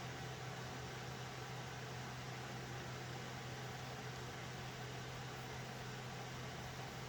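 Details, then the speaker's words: Steady whooshing air rush with a low constant hum from a server's stock fans, running loud with no change over time; noisy fans due to be replaced. "okay so you can hear how noisy these fans are"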